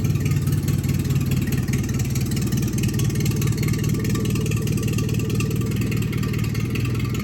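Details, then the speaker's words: 1974 Dodge Colt engine rebuilt and started after 3 years sitting: loud, slightly uneven low chug at idle that won't settle; the carburetor is not yet adjusted and the engine dies when given throttle. "freaking awesome all right so obviously it's going to need some tuning I got to adjust a carburetor do all that that's why I died when I tried to give it some throttle but freaking started right up man"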